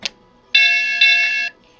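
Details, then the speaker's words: MTH Galloping Goose Proto 1 model train that won't move, on power supply: just two bright dings half a second apart and no startup sound, suggesting a sound/control fault. "Yeah, we're just getting the 2 dings, so there's probably an issue here."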